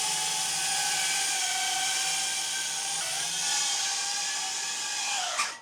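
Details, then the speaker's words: Airborne 4-inch FPV drone: high, steady motor whine with a ringing tone on top that steps with throttle, then cuts out. Owner suspects frame or prop-guard resonance; one motor earlier ran hot; cause unconfirmed. "previously what was happening was I was hearing more of almost a ringing, almost a kind of a sound where like you can hear kind of the resonance of the frame"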